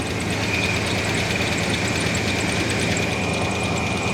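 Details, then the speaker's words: 1987 Chevrolet S10 project engine at idle after running with antifreeze in the oil, fresh conventional oil and new oil filter, needs a fuel filter: steady fast light tick under the engine note, maybe improving, cause not pinned down; runs strong. "you can probably hear the ticking. It sounds like it's getting a little better, but I don't know."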